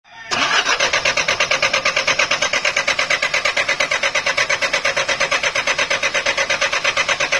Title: hard starting fuel pump...